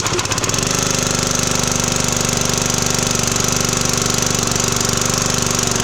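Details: Briggs & Stratton 2900 PSI pressure washer after a carburetor cleaning for hard starting, low power and running only on choke, started outside on choke: the single-cylinder engine catches and settles into a steady, even chug with no misses or surging.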